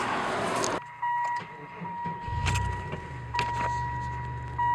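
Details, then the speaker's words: 1999 Chevy Lumina sedan after its rotted muffler was replaced with a Magnaflow 14325, no tip fitted yet, heard from inside the cabin: the engine cranks, catches and settles into a low, quiet, steady idle hum under a door chime. Interior noise is way down and the exhaust is healthy. "Oh man, that is completely different now. It's a much lower tone. It's clean. It's not too loud. It just has a nice, quiet rumble."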